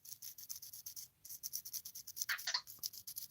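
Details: Hand-spun plastic-shielded bearing from a Redcat Kaiju RC truck gives a dry, scratchy rasp in quick pulses; bearing junk after diffs were flooded with water.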